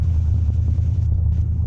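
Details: 1974 Plymouth Duster V8 after a cold start: deep, steady low rumble with an even beat and no knocks or ticks, settling into a smooth warm idle; normal warm idle.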